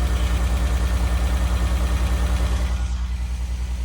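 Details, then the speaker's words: Renault Alpine GTA Turbo, long-stored, after reconnecting an unplugged injector: uneven, lumpy idle with a steady low pulse about three a second, stumbling now and then; one injector suspected sluggish, later given 12 volts to wake it. "The car seemed to be running rough at idle still, so I decided to investigate a little further to see if one of the other injectors was not functioning."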